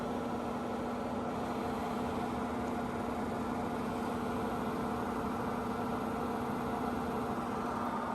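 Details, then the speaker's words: 42-year-old Suburban NT24M furnace after rebuild (would not run, only clicked; stiff fan), lit on first try once gas reached it: constant even burner roar with steady blower hum, no surging or popping; normal furnace operation, smells of burning dust. "There we go. Did it light? Yeah, it sure did on the first try."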